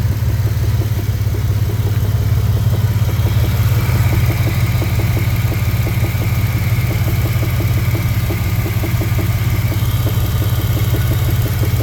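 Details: 2000 Dodge Dakota 3.9 V6 petrol at idle, with a steady, repeating knock ticking over the low engine rumble; engine knock, cause unknown.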